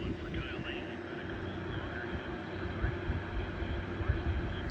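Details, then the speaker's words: Realtone 1640 transistor radio at full volume, listened to with ear against the speaker after reflowing a joint: only a faint distant local station through hiss and low hum; output far too weak, capacitors found dried out, recap with new kit planned. "I don't know if you can hear that, but it's running. Uh it's picking up my local station. All All Uh so, and yeah, that's with the volume cranked all the way up."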